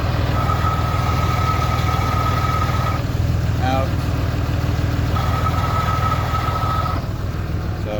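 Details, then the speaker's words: 2006 Ram 2500 5.9L diesel, 6-speed manual, idling with door open: thin steady whine with clutch pedal in, gone with clutch out; worn throwout bearing, described as common on these trucks. "all right so you can hear a little throw out bearing noise which is really common on these two"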